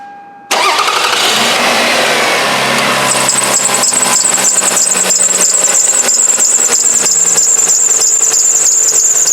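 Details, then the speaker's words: 2002 Toyota Avalon at idle, engine started: a steady high-pitched whirring squeal that sounds like the drive belt but comes from the AC compressor itself, reduced but still present with the compressor clutch off. Noisy AC compressor, replaced. "you can hear that. It sounds like it's a drive belt, but it's not. It's actually the compressor itself that's making the noise."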